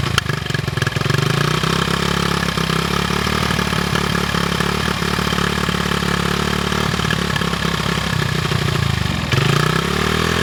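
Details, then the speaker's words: 1974 Honda XR75, 48-year-old single, new carb, air screw 1.5 turns out, choke being varied: uneven lumpy idle stumbling and dipping; choke change has little effect, cause not pinned down. "it really doesn't sound much better than it did with the old carb so I set the air screw one and 1 half turns out and slowly mov the choke lever up and down to see what the effect was"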